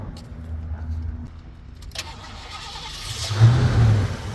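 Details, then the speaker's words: 1986 Ford Mustang GT fuel-injected 5.0 302 V8, one owner, BBK headers and off-road exhaust with turbo-style mufflers: short even cranking, catches cleanly and rises to smooth steady idle with no misses; starts right up. "starts right up as you can see"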